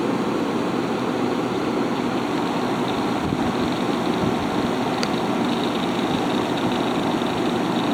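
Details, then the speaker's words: Haier ESA410J-RGB 10,000 BTU window air conditioner, about 15 years old by owner's estimate, cooling on high fan at about 1,700 RPM at the evaporator side: strong steady airflow over an even compressor hum, no rattle or surging; normal running. "There's our power output right there. This thing is very strong. pushing just about 1,700 RPM."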